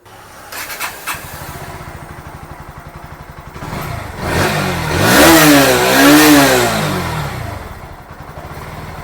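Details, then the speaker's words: Bajaj Pulsar NS160 BS6 after fuel pump cleaning for no-start and pickup problem; steady even idle with two gentle throttle blips rising and settling cleanly, no stall: normal idle, problem fixed. "ஐடிலிங்கைக் கவனியுங்கள், அது 1.5-ல் மிகச் சரியாக இயங்குகிறது, நான் மெதுவாகத்தான் ஆக்சிலரேட்டரை அழுத்துகிறேன். வாகனம் அணையவில்லை."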